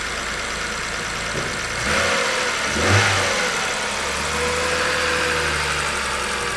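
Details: 2007 BMW 328i with N52 engine, after its crank-no-start was fixed by straightening a bent connector pin on a module, with no parts: a couple of rough catches, then it fires and settles into a steady even idle.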